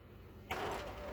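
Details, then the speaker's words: M602 printer warming up with a known-good toner cartridge moved from a working unit: abrupt odd whirring tone and rattle during warm-up, which usually precedes a jam at the cartridge; cause unconfirmed. "Usually you can tell it's not going to print because it'll start making a weird noise when it's warming up here."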